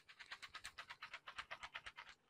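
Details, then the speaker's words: Logitech G915 wireless keyboard with GL Clicky switches: rapid sharp key clicks, each followed by a faint loose rattle of the keycaps. "so you can hear that little rattle there and it just kind of is like a tacky feeling for a $250 keyboard"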